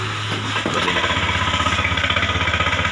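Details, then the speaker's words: Honda Beat FI scooter starts and runs with a rough, chattering pulse of about four per second from the CVT side, and the rear wheel won't turn when throttled; the drive belt is broken, and the roller housing is possibly also at fault. "Yes, it's gassed, but the wheel doesn't turn. Yes, it could be because the fanbell is broken,"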